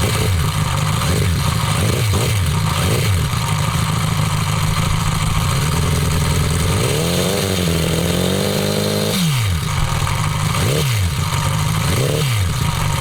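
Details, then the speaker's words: Homemade four-cylinder CD125four engine (Honda Monkey converted, ver1.1) fitted in the bike at a riverbank: idle and blips with light clatter from the head; rocker arms can't be adjusted properly since there's no room for a feeler gauge, causing valve-train noise. "以前に比べてきちんとロッカーアームの調整ができないのでやっぱ少しヘッド周りから音ん出てますね。"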